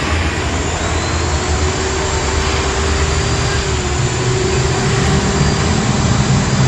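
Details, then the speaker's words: Modern SIM-100B angle grinder running after bearing replacement, done because of a rough sound and fast heating; a steady, even motor whir with a faint high whine and no rough bearing growl. Large brush sparking on one side is possibly from the carbon brush. "OK Guys, so this is the result of replacing the bering, yes, the sound is really good, and there's no eh or not there's a snoring sound like that, yes, there's a little bit of it, but there's nothing on the left side here"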